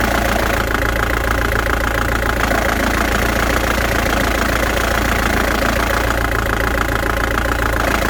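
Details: 1997 Ford Transit diesel at idle with the clutch engaged: a steady, fairly regular knock about three or four a second over the engine note, felt as imbalance and vibration. Release bearing ruled out; it began after the clutch cover was replaced. Clutch assembly suspected, not confirmed.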